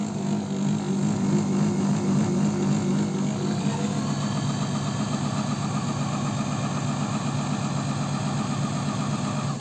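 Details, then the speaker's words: Janome 509 sewing machine, about 15 years old, creaking fixed by oiling: next morning an even fast mechanical clatter with a steady low extraneous hum underneath; re-lubricating all mechanisms again. "Так ну что ребята ночь прошла проверяем машинку опять здесь появился этот какой-то гул посторонний"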